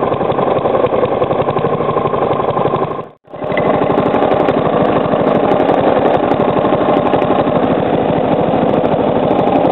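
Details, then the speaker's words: Three-year-old Briggs & Stratton lawnmower engine, first start after 6–8 months winter storage, fresh oil, at low near-stalling idle: steady, fairly loud knock; cause unknown, owner suspects improper combustion or a loose worn part. "I'm going to slow the Rev down till it like almost stalls itself out so you can hear the knocking cuz when I rev it up you obviously can't really hear it that well cuz the the sound of the engine muffles it"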